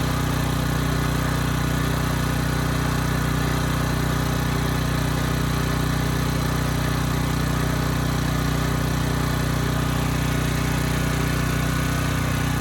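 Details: Briggs & Stratton Elite Series generator, model 030471-01, stored 5+ years, repaired from 35 V to 120 V output; steady, even drone with no hunting or knocks carrying a 3000 W load; normal running under load.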